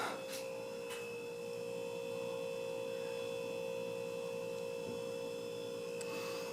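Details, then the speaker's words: Hunter Original ceiling fan c.1991, 1.1 A motor drained of oil and run on high too long: steady hum with faint rubbing running moan at speed; bearing moan from lack of lubrication, needs oiling. "I ran it on high for too long and then it realized oh wait I need oil and then and well now it makes um sort of a running moan noise"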